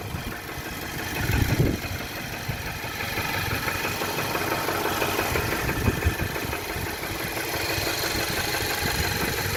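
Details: 2018 Nissan with 30k miles idling in drive, held by the brake: petrol engine with a light, fairly regular knock about three a second.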